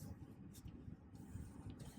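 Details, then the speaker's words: 2009 Bentley Azure driven on road after rear shock rebuild, new gas springs and front bushings for noisy, hard ride: only low even road rumble, no clunks or knocks over bumps; quiet ride after repair. "So you can hear, it's maybe hard to appreciate in the video, but the car is nice and quiet."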